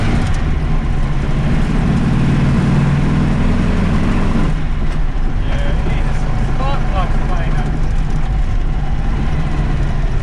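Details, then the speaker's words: VW Baja Bug with Weber 40IDF carburettor and new throttle linkage: loud, ragged, uneven running with harsh chuffing from one cylinder; a spark plug blew straight out of its hole. "Something just got that. That sounds absolutely awful. Sounds like it's just popped a spark plug right out."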